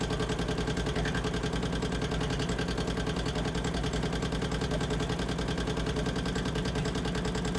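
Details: 2008 Harley-Davidson Street Glide after Screamin' Eagle 255 cam install, first startup: sharp regular tick over idle at about three per second, following engine speed; valve train tick, cause not found, owner thought pushrod adjustments were right.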